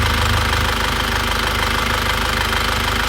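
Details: 2001 Isuzu Panther diesel after piston and ring replacement and liner recondition, previously blowing by and noisy: steady diesel clatter at idle, even firing rhythm, no misses or extra knocks, now smooth with no compression leak; normal idle.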